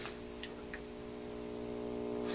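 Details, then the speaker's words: Commodore 128 computer under repair, running in C64 mode: constant low, raspy electrical buzz of steady pitch from the audio output; cause unknown, a capacitor problem is suspected but not confirmed. "you can it's buzzing pretty good right capacitor problem no well it could be a capacitor problem also"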